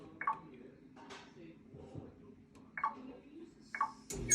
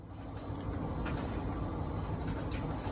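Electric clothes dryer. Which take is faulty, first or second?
first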